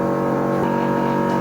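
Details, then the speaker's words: 1973 Dodge Dart with a freshly rebuilt 360, before first start, engine off; the on-frame electric fuel pump priming gives a loud, steady buzzing hum of unchanging pitch; loud but normal fuel pump operation. "Man, this pump is loud. It's kind of how all on-frame pumps seem."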